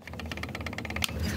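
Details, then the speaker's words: Dafra Riva 150 motorcycle single-cylinder engine: rapid metallic clatter, heard as the engine is revved, from a bad balancer-shaft gear that sounds like the engine locking up; the cylinder kit was also replaced. "Então essa engrenagem aqui ela faz um barulho horroroso. Horroroso. É um barulho feio, entendeu? Parece que o motor tá tá travando mesmo."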